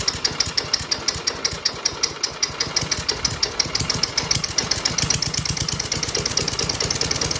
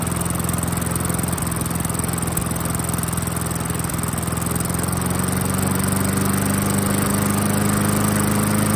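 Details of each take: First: 1994 Murray lawnmower, 3.8 hp Tecumseh TVS90 single-cylinder with new replacement carb after 20 years stored, popping slowly with skips and uneven beats; idle set too low, before adjusting the carb idle screw. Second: 1994 Murray 22-inch self-propelled mower, 3.8 hp Tecumseh TVS90, sat about 20 years and fitted with a replacement carb: a skipping low idle rises to a smooth, steady beat after adjusting the carb idle screw. Normal idle.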